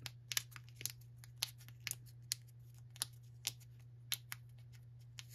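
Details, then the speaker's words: Weed Eater GTI 19 gas line trimmer carburettor, estate-cleanout unit: metering diaphragm flexed by hand gives dry, irregular crackles about twice a second over a faint hum; it should be soft but has gone stiff and needs replacing. "so this is the metering diaphragm and it's supposed to be nice and soft for it to work correctly you can hear it"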